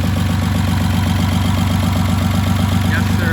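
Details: Rebuilt VR6 on first start after the rebuild, no coolant; lumpy idle with a pulsing beat that stumbles; misfire; owner suspects a missed vacuum line or a disconnected wire.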